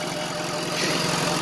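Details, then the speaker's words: Honda after installing a junkyard replacement radiator; it still tends to smoke for unknown reasons. Even, regular idle pulses with no stumble or misfire; a smooth, steady idle. "and it's not idling rough either just need to make sure it doesn't smoke anything listen to that purr"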